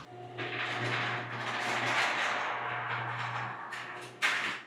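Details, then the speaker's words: Old chain-drive garage door and opener closing, measured a little over 60 dB. Steady low drone with rattling, scraping travel noise ending in a sharp thud: loud, worn-sounding garage door closing. "All right, so that one was going a little bit over 60 or so."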